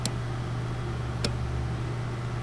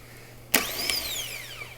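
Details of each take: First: 2013 Porsche Cayenne S 4.8L, no crank no start, extra microphone beside the starter relay while cranking: sharp single clicks about every 1.2 seconds over a low hum, no cranking; relay commanded and apparently good, clicking stops when relay removed. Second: Replacement starter for a 2013 Porsche Cayenne S 4.8L (no crank, no start), bench tested on a jump pack before installing: sharp clack as pinion throws out, high whirring spin winding down, clunk as it retracts; healthy starter.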